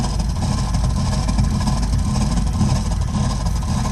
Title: Burnham Alpine boiler problem with loud noise